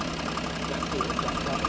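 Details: Range Rover Sport diesel idling, owner complaint of ticking, told it needed new turbo/engine: light quick flutter from the EGR vacuum solenoid/actuator, stops when held or vacuum line disconnected; not engine or turbo.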